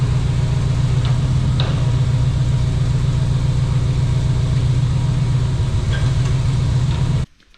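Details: Off-road wrecker tow truck with a new hydraulic pump, after bleeding, pump engaged: deep even drone holding constant pitch for several seconds, then cutting off cleanly; pump runs smooth and healthy.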